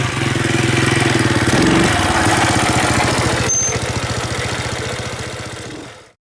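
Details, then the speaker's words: 1985 Yamaha three-wheeler ATV, barn find that sat about seven years after kerosene was put in the tank; after top-end rebuild with new exhaust valves, pull-started with no battery: single-cylinder thumps about three or four a second, revs up, settles before shutoff, running cleanly. "the exhaust is painted jeez man it runs i mean what can i say"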